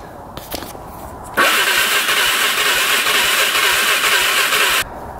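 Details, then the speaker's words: 2005 Can-Am Outlander 400 Max ATV, 5,486 miles, 612 hours, that stopped starting without prior power loss; starter cranks briskly and evenly for about three seconds with no firing, owner suspects a fuel issue rather than low compression. "Turns over just fine. It sounds good cranking."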